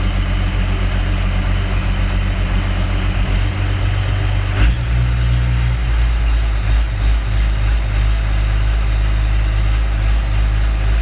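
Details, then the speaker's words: Diesel tractor idle rises and falls unevenly, drone shifting pitch midway; owner suspects worn governor spring or worn O-rings on the spring shaft in the fuel pump. "you guys hear that surging i tell you just what that is inside of the inside of the fuel pump there's either a a spring that is wearing out and the governor is surging like that"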